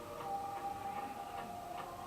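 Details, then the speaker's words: General Electric 3-5254A cassette player after new drive and counter belts, motor speed being adjusted: playback drags low and slow, its pitch sagging and wavering. Tape playback speed set too slow. "That was too far, but so now, there we go. You hear that really, really slow?"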